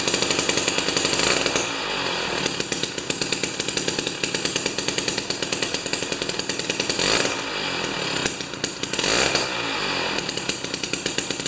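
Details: Jiffy 30 3HP two-stroke ice auger with a J19LM plug instead of a J17LM: buzzing hard at high revs with brief dips and even firing after the mixture is turned out from lean; normal running.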